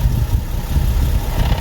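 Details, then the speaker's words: Nissan 370Z at idle with the mic placed down low, clutch pedal pressed and released: a deep, uneven idle with loose, irregular low rattling bursts from the clutch side; the slave cylinder is suspected, cause unconfirmed. "this car makes a very weird rattling sound when i start the car and it's disengaged uh let me start it up and i'll show you the noise that i'm talking about"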